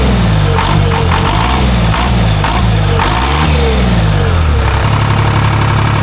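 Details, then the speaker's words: Timberjack skidder with freshly rebuilt Detroit Diesel 3-53 that was missing, after setting the rack and checking injector fingers; deep diesel rumble through quick revs, firing evenly with no miss; now running clean. "Better. Yeah. Let's see how she fires. I ain't mad at that."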